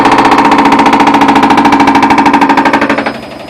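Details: 9-year-old Whirlpool Duet front-load washer on spin cycle: fast, loud, even knocking once per drum turn; cause a broken drum spider arm (not the pulley) on the basket, which gouged the tub and caused a leak.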